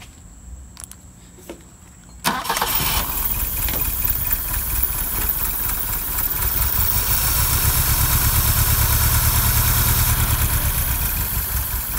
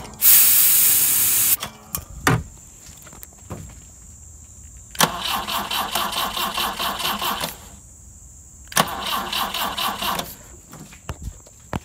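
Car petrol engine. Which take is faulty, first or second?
second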